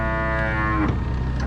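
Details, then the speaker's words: Scag Windstorm blower deflector chute motor, brand-new OEM unit and third motor in 100 hours: strained groan sagging in pitch as it labours; motor stripped inside. "it goes that's the motor this motor's stripped out inside"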